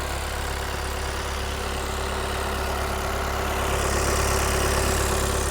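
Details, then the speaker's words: VW Passat B8 2.0 diesel, 110 kW, 11/2020, inspected under the hood: steady, even diesel clatter with a smooth low hum and no knocks or flywheel rattle. The engine idles cleanly and the flywheel is normal. "все нормальнона робота мотора чиста маховик нормальний не чути теж його"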